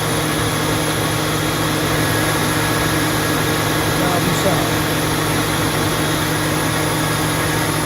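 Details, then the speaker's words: 2002 Mustang GT after radiator fan replacement (Dorman 620-139), idling with AC on: steady, even fan roar over a smooth idle, no ticking or slapping; earlier broken-fan-blade noise gone, fan healthy. "i mean it's not the quietest engine in the world but um that noise was really scary you see that it didn't sound like campus it was just actually turned out to be a cracked a broken fan blade on my radiator pin but that noise is now gone"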